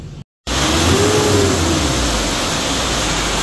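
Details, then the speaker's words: Mitsubishi L300 Euro 4 turbo diesel after EGR valve, intake manifold and turbo cleaning plus new air and fuel filters: quick rev rises and falls cleanly with no whistle or rattle, no smoke, normal. "Ayos, walang usok."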